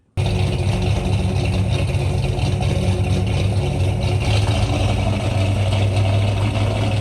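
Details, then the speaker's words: 1963 Ford Galaxie 500, high-compression dual-carb 390 V8, first start in the car: catches at once but runs ragged with an uneven low rumble, so it was shut down; bad gas suspected, as it ran fine on the run stand. "After listening to it run rough and weird, they shut it down. They could only suspect bad gas because the engine ran fine on the run stand previously."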